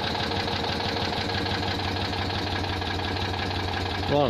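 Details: Citroën 2CV flat-twin after overhaul with Burton 652cc upgrade kit and resealed oil cooler unions, first test run: even steady chuffing idle with a quick blip near the end; smooth and healthy.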